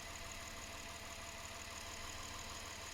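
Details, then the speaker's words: Lexus IS 250 at idle, cylinder 6 misfire with ignition coil F primary/secondary circuit code; plug, coil and wire replaced without effect; IGT signal from ECU weak, max 740 mV: irregular stumble about three a second; faulty ECU, replacing it fixed the misfire. "لكس اي اس 250 السياره مشكلتها فطفطه في البسطوني السادس وهذا الخطا اللي يطلعنا في الكشف اجنشن كويل اف برايمري اور سكندري سيركت"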